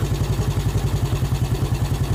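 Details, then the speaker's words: Yamaha Vega ZR single-cylinder after piston and camshaft work and one valve guide replaced: smooth steady idle, clean regular beat, no ticking from head, idle slightly high. "Suaranya sudah halus, gasnya agak sedikit kegedean."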